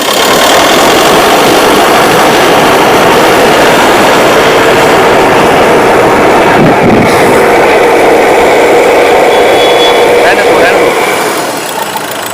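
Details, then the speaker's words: Mahindra Scorpio mHawk diesel after an engine rebuild, loud idle: harsh, uneven clatter with a faint wavering beat. Faulty fuel injectors are knocking and misfiring, and the engine is still smoking. "अभी भी धुआं छोड़ रहा है क्योंकि ईंधन injector ठीक से काम नहीं कर रहे हैं, और मरम्मत किए गए इंजेक्टर अक्सर काम करना बंद कर देते हैं।"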